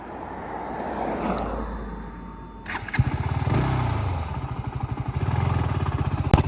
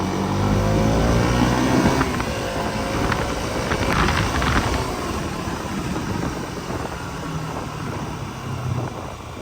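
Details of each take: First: KTM Duke 200 in first gear: rough, rapid tuk-tuk knocking that comes in as throttle opens, fine at slow speed; suspected worn chain and sprocket, before chain kit replacement. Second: KTM Duke 200 running steadily in first gear after a chain and sprocket kit replacement: a smooth engine hum, and the earlier tuk-tuk chain noise is gone.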